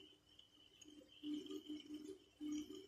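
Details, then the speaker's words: Ultralight fishing reel after repair of a noise when turning: soft, even gear whir in short bursts as the handle turns, no grinding or clicking; noise gone, rotating smoothly. "Oke bro, kita coba putar sudah tidak bunyi lagi bro"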